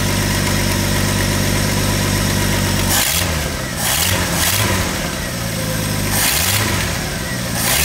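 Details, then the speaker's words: 1985 Ford F-150 300 inline-six after cam gear replacement, run on starting fluid: idles evenly, revs and settles several times without knocks, with a slight exhaust leak audible on the exhaust side; sounds well broken in. "other than that sounds like a well broken in 300 to me"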